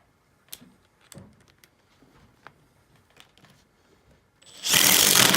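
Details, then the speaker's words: Makita XDT14 brushless three-speed impact driver at full speed, driving a screw: a few quiet clicks, then about a second of rapid loud hammering rattle; normal impact driver operation. "this is the makita xdt 14 brushless three-speed impact driver and we'll be doing it on full speed"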